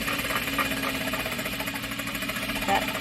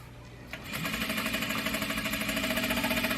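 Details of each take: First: Juki DDL-8700 industrial sewing machine while sewing: fast, steady rattling tick keeping pace with the stitching, the normal sound of the oil pump drawing oil from the oil pan. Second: Juki DDL-8700 industrial sewing machine running fast; a machine hum with regular knocking about three times a second as the whole table wobbles and rattles against things beside it. Table rattle from vibration; an oil pump sound is also mentioned.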